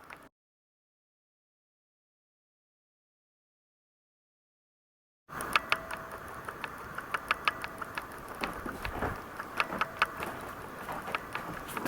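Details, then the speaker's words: Canon ELPH 310 HS records sharp, irregular clicks and ticks, about two a second, over a steady hiss in its own video recordings. The camera is going back to Canon for repair, and the owner suspects a design flaw. "and you're going to be seeing here and hearing lots and lots of clicking I'll be posting other video that I did here the show really loud clicking"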